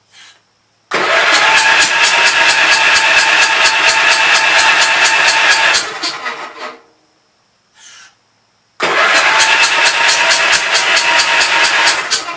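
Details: Gravely Pro 12 tractor, remote air cleaner left open (owner suspects water got in): fast even cranking about three beats a second, never slowing on compression, firing back out the intake; stuck intake valve, no compression.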